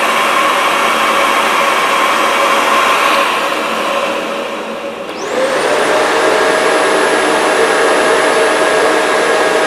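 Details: 1980s Philips vacuum running at full power, heard for comparison with a Shark canister vacuum: a steady high motor whine dips briefly, then spins back up to a clean, even pitch; normal running at full power.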